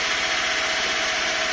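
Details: 1988 Toyota Corolla 2E 12-valve, stock carb, timing 30°, about 205,000 km: after carb cleaning and new fuel filter and spark plugs, the idle is steady and even with no stumble, surge or earlier shake.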